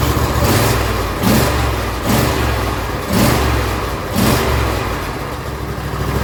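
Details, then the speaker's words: John Deere L120 tractor, old carburetor, choke on: won't start unless gas poured in, then catches and surges unevenly about every second; carburetor not delivering fuel, hard starting. "So that's with the choke on. I can put my hand over it and everything. Still doesn't want to start. But as soon as I take just a little bit of gas, just a little splash, it'll fire right up."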